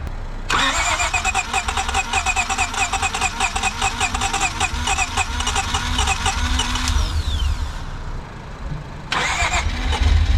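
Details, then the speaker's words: 2012 Acura TL 3.7L V6 with catback exhaust and high-flow cats, first cold start after an engine swap that also needed a camshaft replaced. It cranks, catches quickly and holds a steady fast cold idle with no knock or misfire. "sounds good are you giving a gas sounds really good"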